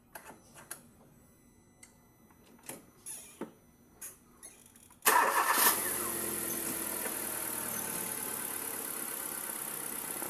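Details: Kia, idle after MAP sensor cleaning for a rough idle; a few light clicks, then the engine cranks, catches and settles into a steady, even idle with no hunting or stumble.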